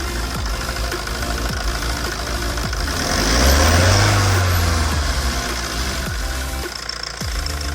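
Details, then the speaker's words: Tata 2.2 diesel that came in hard-starting with a loud knock, idling after repair: cylinder 2 rebored with new piston, head skimmed, valves ground, rod bearings, water pump, injector repair cylinders 2-3 and computer injector coding; test-driven 60-70 km, knock gone, steady even idle. "แล้วังเเครื่องดีดีนะครับอ่าเสียงเก็จะหายไปเดินนิ่งกว่าเดิมนะฮ"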